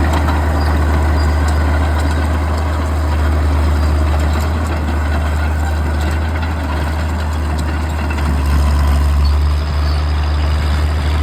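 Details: Old Caterpillar D6 diesel dozer warming up, with a steady idle thrum of about four beats a second and no knocks or misses. It smokes a bit but sounds good; normal idle.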